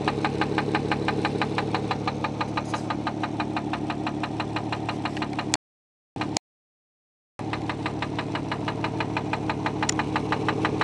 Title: Infiniti J30t 3.0 Rod Knock